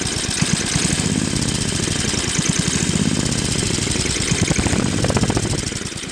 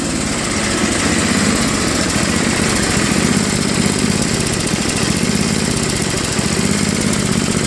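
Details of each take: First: Craftsman Trac-Drive snowblower, Tecumseh Snow King 5.5 hp 195 cc engine, carb cleaned after a year's storage, leaking back gasket: rapid chuffing low idle rising and falling slightly; still hunting, later fixed with idle screw adjustment at high and low throttle. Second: Craftsman Trac-Drive snowblower, Tecumseh Snow King 5.5 hp 195 cc, after carb cleaning and idle screw adjustment at high and low throttle: steady, even idle with no hunting or surging until shut off; surging fixed.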